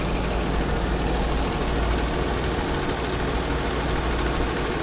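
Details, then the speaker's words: Used 2018 Lexus RX 350, about 52,000 miles, 3.5 V6 2GR engine, during a pre-purchase inspection: steady, smooth low hum at idle with no ticking, knocking or stumble; normal idle, the 2GR normally runs well. "the 2gr normally runs pretty well"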